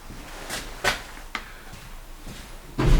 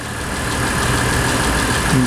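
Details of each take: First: Mitsubishi Pajero 3 GDI right after replacing the high-pressure fuel pump (ТНВД) filter: steady starter crank pulsing about three times a second for several seconds, engine never catches; cranks, no start. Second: Mitsubishi Pajero 3 GDI idling, fuel pressure reading about 2.8–2.9, before the high-pressure fuel pump inlet filter is replaced: a steady, even idle hum with no misfire or knock. Normal smooth idle.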